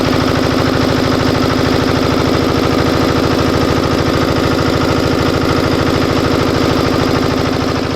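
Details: Air-cooled Usha Comet DX diesel generator, after diode replacement fixed it shutting off after starting: steady, even chug at constant speed with no hunting or bogging, output 240 volts; normal running.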